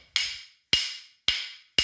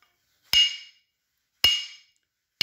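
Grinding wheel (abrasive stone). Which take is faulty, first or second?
first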